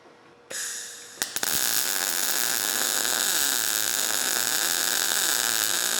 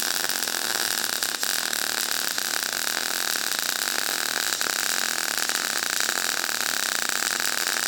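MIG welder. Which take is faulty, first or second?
second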